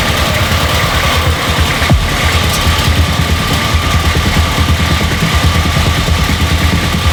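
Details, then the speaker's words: Nissan GQ Patrol diesel after first start in 3.5 years, no coolant in the radiator: loud, steady clatter keeps running with no sign of dying despite intake covered and fuel disconnected; engine won't shut off, cause unknown. "I've got something flat to cover the intake. I've disconnected the fuel. I have no idea why it's still running."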